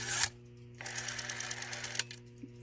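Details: Western Electric 5 rotary telephone dial: about a dozen light, even clicks in roughly a second as the dial returns; quiet, steady ratchet working as it should.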